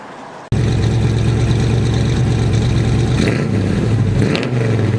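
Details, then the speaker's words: Daily-driven Nova with a basically stock 350 V8, Vortec heads, LS6 springs, Comp 280 Magnum cam (.480 lift), about 1,200 miles after cam swap: deep loping rumble pulling cleanly on drive-by, no knocks, hesitation or stumble; running healthy. "it doesn't make any weird noises doesn't run funny you know doesn't hesitate or do anything weird now it runs I would say perfectly just about"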